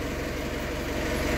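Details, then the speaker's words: Isuzu Crosswind diesel that had low power, smoke and no pull; after removing a rag blocking the turbo intake, soft even idle with steady low rumble and no stumbling; smoke reduced. "Thank you Lord, at sana okay na to. Uy, wow, ganda na ng tunog. Check natin kung mausok."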